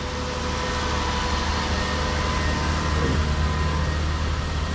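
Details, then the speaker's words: Lexus RX 330 after power steering hose replacement, old hose had leaked fluid; at idle during bleeding, before warm-up, a faint rough grinding and thin whine from the power steering pump, possibly still holding air. "It's still a little bit quick widening. See that noise? See that little grinding noise?"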